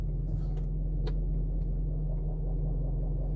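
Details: 2012 Range Rover Vogue SE 4.4 TDV8 diesel at idle in park, stationary, wheel untouched, heard inside the car: smooth, even low rumble with no clicks or knocks. Normal idle; clicking from front left appears only when steering right or in reverse.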